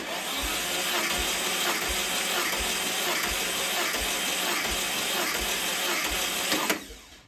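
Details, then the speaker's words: 1968 VW Beetle engine out of the car, valves set to .006", compression test cranking with gauge in plug hole: steady starter whir, even low thumps about twice a second; cylinder 1 110 psi, cylinders within a few psi, good. "you just want to be able to uh crank the engine to have it make some compression in the cylinder"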